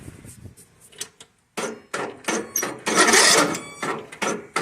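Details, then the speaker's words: Briggs & Stratton 17.5 HP lawn mower engine with a brand-new battery, cranking in short uneven grinding bursts as if the battery were dead, not turning over. Hard cranking from incorrect valve clearance; fixed by adjusting the valves. "it's almost like the battery's dead but the battery's brand new more than likely your valves need adjusted"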